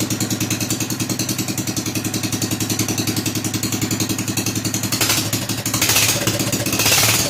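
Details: Rebuilt Kohler K241 10 hp single-cylinder installed in a John Deere 210 garden tractor, no muffler, restarted after priming carburetor: quick, even, crisp open-exhaust firing, no misses or knocks; normal running.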